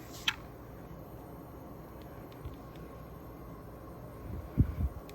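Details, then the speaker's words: Indoor Daikin furnace/AC unit, set to cool, working again, its filter left dirty for about a year: soft, steady low air rumble with a couple of faint clicks, blower running smooth and quiet as it should. "And now it is, so this is like to show you how it's supposed to sound like."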